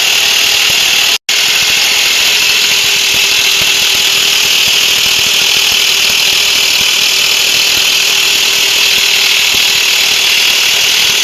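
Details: Nissan engine idling with a dense, fast metallic rattle and hiss from a loose timing chain.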